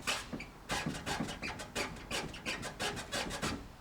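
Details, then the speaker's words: 4AGE Toyota KE70, left tyre scrubbing the fender badly even while stationary, at roughly 4-5 degrees of camber (owner's estimate), before fitting 30mm extended lower control arms: rhythmic rasping scrub about once a second, like rubber dragging on metal. "that left wheel is scrubbing the guard super bad. Even just sitting here, it's not even doing anything."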